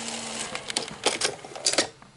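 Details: Sony SL-HF360 Super Beta HiFi Betamax VCR after repair of trace damage, a dry joint and resistors: a quick run of light clicks and soft clunks as the tape threads, with no grinding or slipping. The loading mechanism works properly.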